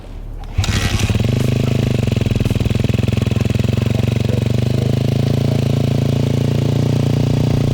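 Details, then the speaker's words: 2009 KTM 250 XC-F single after rebuild and idle adjustment: fires up quickly and settles into a steady, crisp thumping idle with an even beat and no odd noises; running normally. "There's the lovely bike, she's looking good. I'm gonna fire it up here. Might just take it for a rip up the road."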